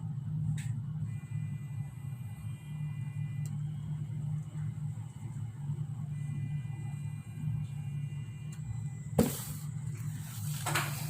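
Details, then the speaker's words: 360eyes EC101-X15 outdoor pan-tilt IP camera right after plugging in power: soft motor whir with thin high tones starting and stopping as the head sweeps through its normal power-on calibration before reset. "Setelah dicolok ke kabel power, kita tunggu beberapa saat pergerakan kameranya. Setelah kameranya bergerak, berhenti, baru kita reset."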